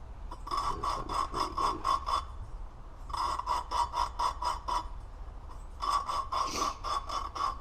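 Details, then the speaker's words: Honda 400EX new valve being lapped into its seat by hand with a hose: quick back-and-forth rasping strokes, gritty grinding turning smoother as the valve seats in. "you can hear it it's actually grinding you want to go back and forth and you want to do it until you don't hear that real gritty grinding sound see it's starting to sound like it's getting a little bit"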